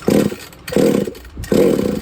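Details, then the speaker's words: Used Redcat Rampage XB RC car with Walbro 990 carburetor, given a one-second starting fluid burst: three short firing bursts each dying within half a second, engine bumps but won't keep running. "so when they start up and bump they kind of go wow they make a little different sound and that's only because the throttle is a little bit"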